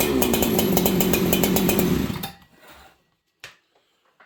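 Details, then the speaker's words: Freshly built ported Husqvarna 288XP clone saw on first run with Farmertec carb, low jet slightly richened: brief uneven stuttering revs then dies; slightly lean bog, leaner on low jet as it warmed, expected to richen as rings seat. "you guys can hear that bog it's a little lead um and again as the ring seed in that this thing should get a little bit Rich"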